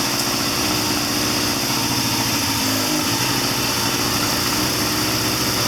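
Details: 1979 Triumph Bonneville T140D Special twin, after clutch repair, third gear against front brake: steady drone dips briefly as clutch takes up load then recovers smoothly; normal running with clutch engaged.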